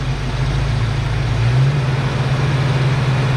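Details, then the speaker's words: Ford Foxbody Mustang during base idle reset, throttle set to 0.99 volts; steady low idle that lifts and holds higher when the idle air control is plugged in with the engine running, because the computer must reset first. "So did you see what happened? That bumped the idle way up, right?"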